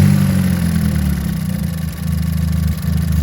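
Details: Ford Fiesta ST, warmed up after a cold start, coil packs unplugged one at a time: low idle with a slightly uneven pulse that dips and goes dull as a cylinder drops out; misfire, apparently not spark plug or coil related.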